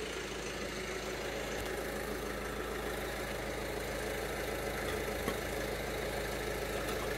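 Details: 1997 Honda Pan European ST1100, long neglected, cranked on a jump pack with starting fluid: a long, steady churning crank with a faint uneven beat that never catches.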